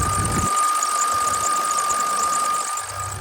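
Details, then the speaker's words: 2006 Ford F350 6.0L Power Stroke turbo-diesel at idle after replacing the VGT solenoid: steady high whine, with no air hissing; a belt squeal was noticed at startup. "there's no air hissing holy cow did I fix it no way no way I think I might have fixed it guys"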